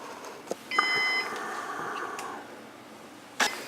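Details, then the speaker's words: Synology DS916+ NAS with failed drive 2 pulled out: one sharp, high electronic beep over light handling clicks; the NAS alarm warning that a drive has been removed. "So now that we have the drive out of the system here, you can probably hear in the background that the Synology is beeping, letting us know that the drive is out."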